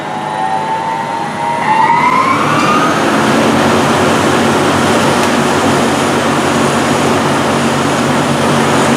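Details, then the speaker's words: Rebuilt chip/dust collector blower, first test run after reassembly: a rising whine as the impeller spins up, then a steady airflow rush with no rumble or grind. It runs much quieter and smoother than before the rebuild. "as you can see it runs a whole lot quieter a whole lot smoother"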